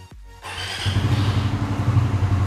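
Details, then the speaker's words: Suzuki Satria FU fuel-injected motorcycle fitted with homemade Arduino custom alarm/immobilizer: after alarm beeps twice to arm start, engine catches quickly and settles into steady even idle; normal start. "เครื่องใช้งานได้ตามปกติ"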